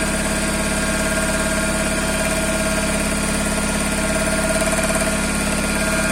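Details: Toyota Corolla with 5E-FE engine at idle: faint, fairly even tapping about two or three per second over the idle; engine knock of unknown origin.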